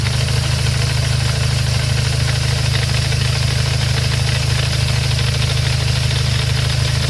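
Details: Dodge SRT-4 with ACT HDSS clutch, AGP hardened fork and DRC master cylinder: loud steady idle with fast, even clutch chatter about two per second from the transmission, present since day one; common problem, DRC cylinder hasn't stopped it.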